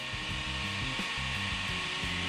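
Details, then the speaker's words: Arrma Outcast 8S RC car with a Castle 2028 motor, just after installing a double cooling fan, powered by two LiPo batteries. A constant high-pitched airy whir at steady speed with no scraping or rattling: both cooling fans running properly. "Voilà, on entend bien. Voilà. Voilà, donc les doubles fans tournent bien."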